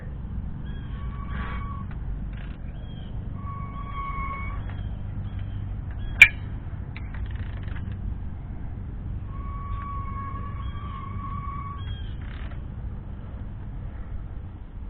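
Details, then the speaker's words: 2003 Ford F-250 7.3L diesel, 70,000 miles, in neutral with the driveline off and turned by ratchet: drawn-out high squeaks only in one direction, none in reverse; transfer case or rear transmission bearing suspected. "it's all when doing this noise when I'm going this direction so I'm going backwards a little tight harder to go back but no noise just only when I go this direction"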